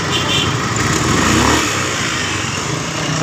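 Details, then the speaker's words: 2015 Honda BeAT FI scooter after repair, idling with a smooth even hum and no kletek rattle; earlier noise traced to the dynamo, not the bearing: normal running, no CVT rattle. "itu tidak ada suara mengeletek-keletek"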